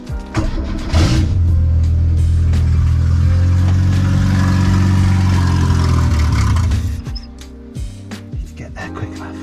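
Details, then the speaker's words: Renault 8 (R1132) with swapped-in 1397cc C2J engine, no exhaust, warming up on choke after several attempts: loud unmuffled rev for a few seconds, then drops away unevenly and runs rough; owner suspects timing is far off or a leak. "okay think we got some work to do but it does run just could be anything timing could be a million miles off"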